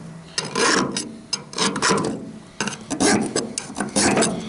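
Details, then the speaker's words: File hardness test on a rollback clutch hub: long rasping strokes about once a second that bite and chatter rather than skate, visibly cutting in. The hub is suspected soft; a Rockwell test is planned to confirm. "but of course you can hear that, that's hard. And you can't only hear it, you can see it. It's actually going in it."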